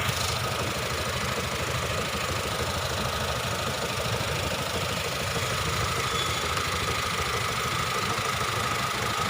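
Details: Honda engine misfiring at idle: rough uneven idle with irregular stumbles and a knocking beat about three times a second; cause not found.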